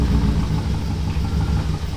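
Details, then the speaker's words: BMW E39 540i, M62 V8, just revived after being unable to crank: a deep idle with an uneven, lumpy beat that never settles, running rough with no check engine light. "Okay, we got it to idle, guys. It's idling, but it's running fairly rough right now. Yeah, it's not happy."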